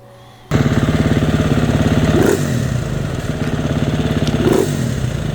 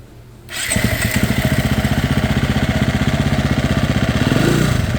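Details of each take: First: Single-cylinder fuel-injected dirt bike that stalled on rides, after removing JD Tuner, new injector and spark plug boot: catches, steady thump, revs rise cleanly on two throttle blips and drop back without dying; normal throttle response. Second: Fuel-injected off-road dirt bike that repeatedly stalled on a desert ride: starts and runs with a fast, slightly uneven thump near four per second, unsteady idle.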